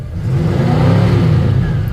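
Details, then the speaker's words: 1959 Cadillac Sedan DeVille V8 after exhaust leak repair and carb sludge cleanout: deep, even rev with steady low rumble and no popping or spitting; running clean. "Running a little better now."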